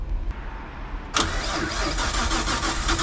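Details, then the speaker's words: Nissan 200SX S13 with RB25DET, big turbo, Nismo injectors, Apexi Power FC, cold start: starter catches after about one second, then a low, slightly uneven idle; it idles low until about 40 degrees, then jumps to normal 900 rpm. "for some reason it does this is it against like 40 degrees and then it will suddenly just jump up like 900 rpms normal idle"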